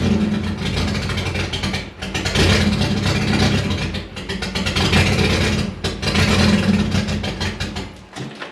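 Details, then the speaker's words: Nissan 240SX four-cylinder at idle: rough, uneven misfire with the note sagging and recovering. It seems to run on three cylinders and drops another below 1,000 rpm. Spark and then injectors to be checked, cause unconfirmed. "As you can hear, it's only running on 3 cylinders probably. Then when it goes down below 1,000 RPMs, it cuts out another cylinder."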